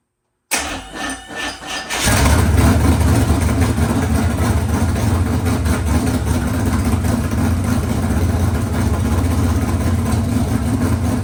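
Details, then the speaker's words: Freshly rebuilt 383 small-block V8 for a C10 on an engine stand, fired up again: starter cranks about 1.5 seconds, then catches and settles into a steady, even, loud rumble; normal start and idle. "I can't run on an engine stand. That's going to collapse. But that sounds pretty sweet. I got to fire it up again."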